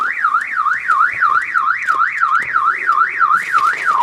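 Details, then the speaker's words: 2000 Chevrolet Impala that won't start: opening the glove compartment sets off a loud siren sweeping about three times a second, steady and unbroken; content theft alarm fault, not passkey, per parts supplier. "I have a feeling that it's something to do with what was gotten into last cuz I think that even if I open the glove compartment Yep. open the glove compartment, the alarm goes off."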